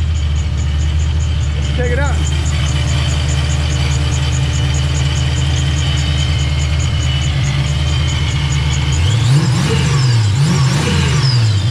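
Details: Fox Body Mustang, speed density, just after first start with newly fitted 30-year-old Vortech A-Trim supercharger: steady, even low rumble at idle, no knocks or misses; normal idle.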